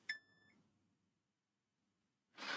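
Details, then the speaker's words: M-Audio M-Track Solo audio interface, both channels dead with two red clip LEDs and buzz, multimeter continuity check across a capacitor: one brief half-second beep as it charges, no constant short; fault likely the chip itself or upstream. "so that's not, that capacitor just charges up, but it's not a constant short, which makes me think then that it's not after this chip, it's either the chip itself or something before it."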